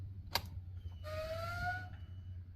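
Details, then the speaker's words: New Trailmaster Challenger EFI UTV, 1 mile on it, full tank, neutral, first key-on: faint whine rising slightly for about a second then stopping; normal fuel pump priming. "Now listen when I turn it. This is the fuel pump."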